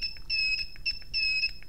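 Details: KWS-AC301-100A AC power meter: bright, high-pitched beeps in quick repeating bursts, several a second, as the reading exceeds the set alarm threshold; it stops once the threshold is raised.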